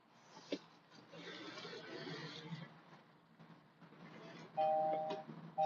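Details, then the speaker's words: Car cabin while driving: two-tone seatbelt reminder chime in short bursts over cabin noise for the unbuckled driver's belt, stopping once the belt is fastened. "you have hear that beeping sound because my seat put my seat Bel on just so that that noise shuts off for you guys I don't think you guys want to hear that anyway"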